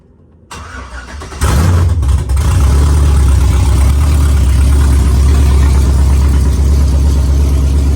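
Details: V8 truck with DOD (displacement on demand) still active in the tune despite a mechanical DOD delete: cranks and catches, then an uneven, off-beat idle running on four cylinders, two per side; DOD suspected as cause before the tune delete.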